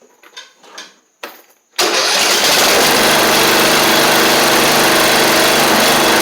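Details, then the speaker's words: 7-year-old MTD Murray riding mower, fuel of unknown age with slight rust inside: catches after a few weak tries, then settles into a steady, even buzzing run with no stumbles; normal running. "that's good seems like everything wants to work so that's good"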